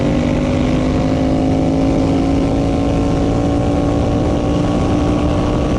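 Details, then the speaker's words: Turbo Predator 670cc V-twin drag rail with CVT: steady high-pitched drone held flat out as the primary torque converter driver let loose, engine spinning well above the 7,100 rpm pre-turbo pass (about 8,500 rpm), over-revving at double recommended power. "so you can hear that when the primary let loose the engine was spinning quite a lot higher"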